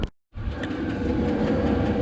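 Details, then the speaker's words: 8 kW Chinese diesel heater running on battery at 35 °C setting: steady, even roar of burner and fan with no pulsing, popping or surging, burning cleanly at full heat. "okay we got this puppy running and it's cranking it's running hot i'm at 35 degrees c"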